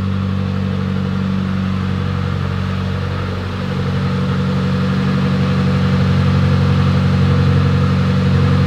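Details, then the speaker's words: Mitsubishi Evo X, abandoned car rebuild, first start after work: smooth even idle with gentle rev rise, no knocks or ticks; healthy, no big leaks over about 10 minutes, radiator fans not turning on. "not seeing any leaks either so I let the car run for about 10 minutes and there's not really any big leaks so that's good"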